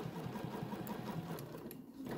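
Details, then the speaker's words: Bernina sewing machine with BERNINA Stitch Regulator in mode 1, free-motion stitching a pumpkin panel: quick even needle patter that slows and speeds with fabric movement; normal regulated stitching. "and so if i move slower it stitches slower if i move faster it stitches faster"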